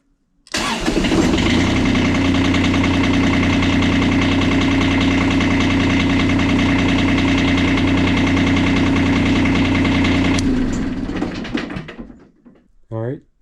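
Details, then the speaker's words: Kubota D905 diesel in a Lincoln Ranger 300 welder, cold start on a chilly day after extra glow-plug time: catches at once and settles into an even idle at about four beats per second with no knocks or misses. New battery terminals fitted and alternator charging; it is running normally. "got the battery with new terminals hooked up it's running good alternator charging we can actually start and stop the engine from the main panel which is excellent"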